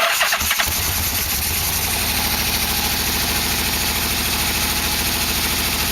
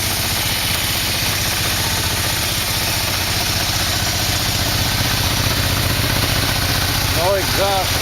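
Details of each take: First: 1987 Yamaha V-Max V4 after engine install: starter cranks, engine catches and settles into a lumpy, stumbling beat; dead miss, one cylinder not firing because its spark plug wire is off. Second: 1987 Yamaha V-Max V4 freshly installed, carbs and exhaust fitted, first start: steady, even idle at about three pulses a second, no knocks, ticks or rattles, oil burning off; engine runs clean and healthy.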